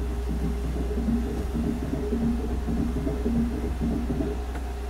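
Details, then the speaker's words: VW Transporter Doka electric conversion, first throttle test with no error codes: motor turns over with a low hum and soft rubbing clunk about once a second, won't spin fast and no rpm registers; possible encoder issue suspected. "so the motor is turning over and it sounds like something's rubbing clunk clunk but it doesn't want to spin very fast"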